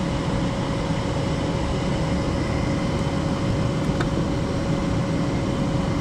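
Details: Furnace after installation restarting heat after the limit switch signals the board, with the inducer motor just turned on. A steady motor hum with a faint constant tone and a soft click partway through as it fires and runs evenly: normal furnace ignition.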